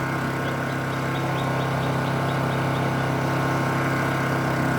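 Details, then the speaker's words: Honda EU2200i 2200 W generator fitted with Hutch Mountain tri-fuel propane conversion kit, running on gasoline with propane bottle disconnected: steady even hum at constant speed, no hunting or misfire; runs smoothly. "okay as you can see I'm running on gas right now propane bottle is not connected"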